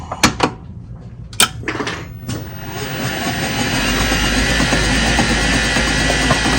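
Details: EZGO PDS 36-volt golf cart in forward, key on, while its speed sensor is tested with a meter; a few clicks, then a smooth even motor hum building as the cart pulls away under throttle, the electric drive sounding normal.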